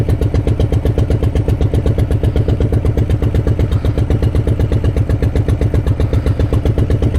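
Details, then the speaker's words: 2018 Harley-Davidson Breakout Milwaukee-Eight, built from 107 to 131 kit, idling at standstill: slow loping idle of about four heavy, almost knock-like thumps a second; normal rear-cylinder deactivation, not real knock. "As you can hear, it kind of sounds like engine knock."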